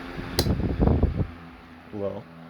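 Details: Late-1910s/early-1920s Marelli Bisa 12-inch oscillating table fan: a couple of switch clunks, then a soft, steady low hum at medium with no rattle or wobble; running smoothly.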